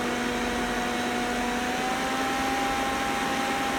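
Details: Roborock S6 robot vacuum running with a constant motor drone and a steady abnormal buzzing hum over it throughout, recorded with the phone on the device.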